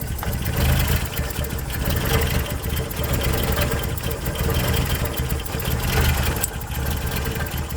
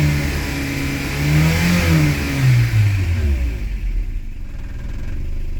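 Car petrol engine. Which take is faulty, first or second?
first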